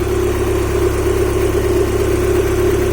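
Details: Honda H22A after ARP head studs and intake setup, heavy oil leak at valve cover or cam seal suspected: smooth, even idle hum with steady low drone, no ticking or knocking; sounds healthy, normal idle.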